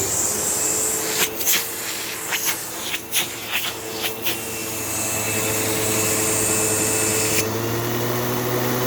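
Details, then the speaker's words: Sebo Automatic X5 vacuum running on hose with a half-full bag: steady, even motor whine through hose movement with no surging or grinding, plenty of suction; brush roll issue still unfixed; normal suction motor. "And, obviously the thing's still running, the motor still sounds perfect."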